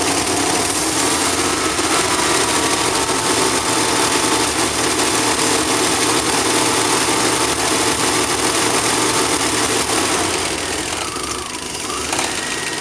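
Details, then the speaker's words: Engine viewed through the doghouse, sitting in the driveway, smoky at morning start then clearing: ragged, uneven beat staying equally rough at higher RPM, much worse on the road; rough running, owner suspects fuel injectors. "You hear how it's running. I can give it some gas and it'll run the same, just higher RPM."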